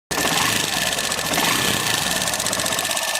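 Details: Hero Passion Pro BS6 motorcycle, new bike, before the engine was opened for repair: fast, sharp, steady metallic tik-tik ticking over the idle; valvetrain ticking.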